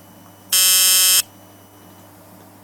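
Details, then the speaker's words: Circuit-bent clock with a modified power connection: harsh high electronic buzz under a second at power-up, then cuts out. Not normal behaviour; caused by the power modification. Electrical buzz from modified power supply. "okay now I'm just going to show you the strange noise it makes when you connect the power up it's not supposed to buzz like that but the way I've got the what I've done with a power makes it make that noise now"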